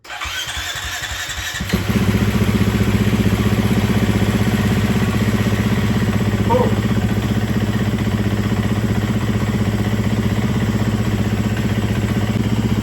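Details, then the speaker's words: Neighbor's large dirt bike, sat for years, oil good, clean spark plug, new battery: catches after brief crank, settles into steady, even single-cylinder idle with no knocks or misses; running fine. "run completely fine. Oh, let me check the oil level. Oh, it's running good."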